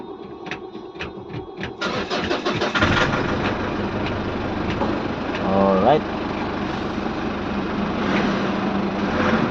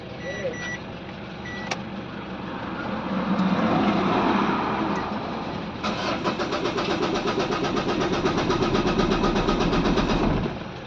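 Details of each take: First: Ford Everest diesel with morning hard starting, after the four injectors were checked and refitted: brief uneven cranking, then it fires on one click and settles into a steady, even idle with no misses. A healthy start. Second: Ford Everest diesel, hard starting in the morning: starter churns steadily at about four beats a second for several seconds and never catches; injectors to be checked, number two injector under suspicion.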